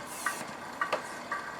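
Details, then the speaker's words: Oil extractor pump drawing engine oil through the sump plug adapter, reaching the bottom: quiet suction with short gurgling slurps about every half second, like a straw in an empty glass, dribbling out the last dregs; sump almost drained. "There we are. We're now dribbling out the dregs."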